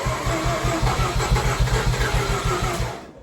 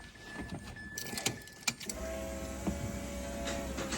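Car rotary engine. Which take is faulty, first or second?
first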